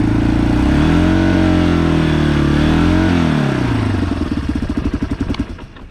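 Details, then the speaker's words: Yamaha ATV/quad with centrifugal clutch, in fourth gear going uphill at half throttle: engine revs suddenly climb and swell without matching pull, then drop back to a loping putter, a slipping clutch. "So I was going up a hill then, I was in fourth gear, and you got your finger on half of the throttle, but suddenly the engine RPM increases and it starts revving higher"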